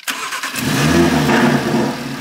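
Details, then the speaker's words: Audi RS3 with a forged engine, cold start disabled: a brief crank, then it catches immediately, flares up and settles to a smooth, even idle. A clean, healthy start. "wow that start sounds amazing and in case you didn't notice these car actually got the cold start disabled so it would have been even louder when we first started it up"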